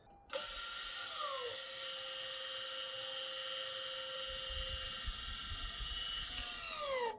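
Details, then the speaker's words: 2017–2022 Honda CR-V electronic parking brake reset after rear pad and rotor replacement, ignition on, engine off, e-brake pulled: steady high motor whir about seven seconds, dipping in pitch at start and end; normal cycle. "Next, you can go into the vehicle and turn the ignition to the on position. Do not start the car, and pull up on your e-brake and it will reset this."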